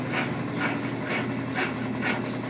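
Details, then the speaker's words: Washing machine after overhaul with new drain pump: steady spin hum with soft rhythmic swish about twice a second as hose water surges back; normal pump draining, no noise. "Vê que não tem barulho, só um zoom da bomba e a água caindo lá. Bomba novinha."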